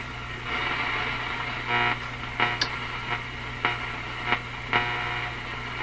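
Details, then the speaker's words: Nordmende Boheme C tube radio on the weak shortwave 2 band with the volume turned way up: steady hiss and low buzz with irregular crackling bursts. This is interference from overloaded LED shop lights, not a radio fault. "it's my overloaded shop lights making that sound my led lights so i've turned them down a bit so they don't make that noise"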